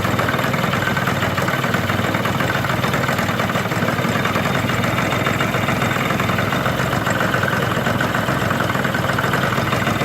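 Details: Chinese Yamaha-type scooter, variator cover refitted to cure a strange noise caused by the cover not seating: steady, even idle with no knock or rattle over the exhaust beat; engine and drive side sound healthy.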